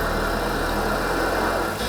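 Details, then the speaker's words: Hurricane-damaged VW MK5 GTI started after sitting for an unknown time: engine settles into a steady, even idle with no knocks or misses, sounding healthy on its first start. "Moment of truth. She's alive! Like it was meant to be."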